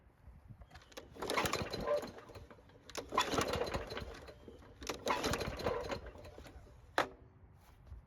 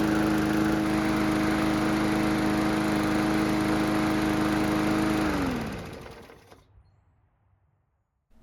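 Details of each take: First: Free mower that won't start, with old gasoline left in the tank: three pull-cord attempts, each a quick whirring spin that dies away without catching. The fault is fuel related; it ran when fuel was added directly to the carb. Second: Mower after carburetor repair, on a quarter tank of fuel: a smooth, even engine beat at steady speed for about five seconds, then it shuts off and winds down cleanly. The engine runs great.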